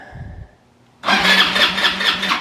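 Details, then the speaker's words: Abandoned ATV after cleaning the starter solenoid and new cable ends: starter cranks briskly and evenly for over a second but it never fires; fuel delivery problem suspected. "obviously doesn't fire. So I'm going to figure out what's going on with the fuel line situation here, and I'll be right back."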